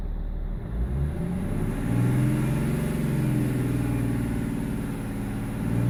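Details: BMW E46 330d M Sport diesel with lumpy idle and judder around 1500 rpm; INPA shows injector 6 needs changing ASAP, injectors 1, 2 and 4 also off: low idle with uneven, lumpy beat rising and sagging; injector out of balance.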